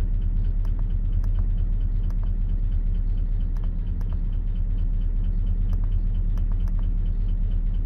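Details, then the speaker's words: 2004 Chevy Silverado 5.3 V8, 225,000 miles, towed in after dying while driving, no oil on dipstick, oil lamp off, labors on starting: idle with light, uneven tapping about three per second over steady rumble; engine ticking, suspected oil starvation, possibly damaged. "it doesn't give it but i mean you can hear the motor from here i mean it's just tapping away shut it down so there's obviously an issue"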